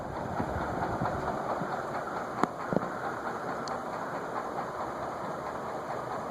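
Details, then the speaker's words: Vintage TAT ceiling fan (cast iron spinner motor, circline fluorescent light) on bench, speed near high at about 0.54–0.6 A: even hum with light irregular tapping about three a second; something loose knocking, not the glass, source unknown. "Something is knocking too."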